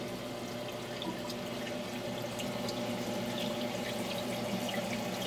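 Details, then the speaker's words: Aquaponics tank siphon drain fitted with a homemade 1-inch PVC muffler tube that ends about an inch and a half above the tank bottom. A soft, steady trickle with light bubbling and no gurgling, while drawing air down for aeration. Quiet siphon drain. "And we're going to hear how much more quiet the siphon drain is."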